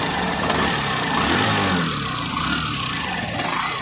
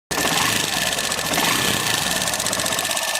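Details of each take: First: Hero Passion Pro BS6, a new bike that had a tik-tik engine noise, after the engine was opened and fixed: even, clean idle with no tapping heard; normal idle. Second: Hero Passion Pro BS6 motorcycle, new bike, before the engine was opened for repair: fast, sharp, steady metallic tik-tik ticking over the idle; valvetrain ticking.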